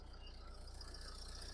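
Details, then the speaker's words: 2010 Nissan Qashqai+2, 1.5 dCi K9K diesel, 217,000 km, 6-speed: a soft, even diesel clatter at idle with a quick regular beat. It runs quietly with no smoke, no misfire and no stumbles, a healthy idle. "Мотор працює тихо, рівно, не димить, не троїть. Зауважень немає."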